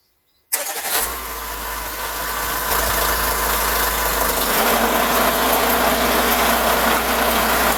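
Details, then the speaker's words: Renault Trafic/Vauxhall Vivaro/Nissan Primastar F9Q 1.9dCi diesel van: after replacing the long right front driveshaft and its bearing, a whirring hum still builds over the engine as the driveline spins up; owner says 99.9% gearbox, gearbox to be removed. "bad news it still makes the noise so fortunately we're going to have to be removing this gear box unfortunately it didn't work out with the replacement of the long drive shaft it was in the bearing there and it's probably uh 99.9% my gearbox"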